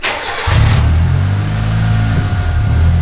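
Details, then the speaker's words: Old turbo Mitsubishi Lancer petrol engine after a full rebuild with new spark plugs gapped to 0.7: cranks briefly, catches and settles straight into a steady, even idle. "We're back, baby. Listen to that. Tuning idle. Sorted."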